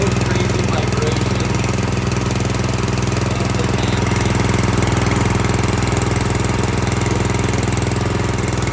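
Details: Brand-new Harbor Freight Predator single-cylinder engine just swapped onto a rear tine tiller, first start after cord pulls with closed choke: runs smooth and even at a steady speed, regular firing with no knocks, misses or surging; healthy.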